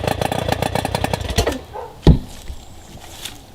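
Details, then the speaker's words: Rough-running Johnson outboard during spark test with neon tester: uneven stumbling firing for about a second and a half, then dies with a pop; spark present on both cylinders but weak, ignition control module output low and replaced. "So we got spark going to both of these. What this is not telling us though is how much spark is going on there."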